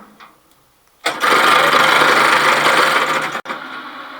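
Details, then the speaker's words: Kearns Richards S-type horizontal borer at first power-up: harsh, gritty grinding from the feed gearbox for about two seconds as the table feed engages, then stops. Gearbox grinding; suspected improper engagement, cause unconfirmed. "okay so the motor runs but it's charming and the table but the table is actually moving so could be some in the gearbox who knows"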